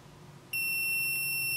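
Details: MPJA 35716 battery low-voltage alarm module, set point 11.6 V, battery drop simulated below it: quiet, then a shrill steady beep that keeps sounding until power is removed or voltage rises. Low battery voltage alarm.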